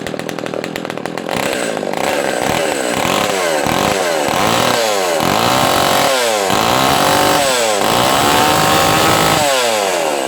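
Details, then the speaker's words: Echo 280E top-handle two-stroke chainsaw on its first startup after about 10 years unused. Repeated throttle blips rise and fall cleanly with crisp pickup and a deep note, and it idles well without stalling; running normally. "she sounds good I love that sound it's a nice deep sound for a small small saw yeah she runs good not bad for not running this whole time"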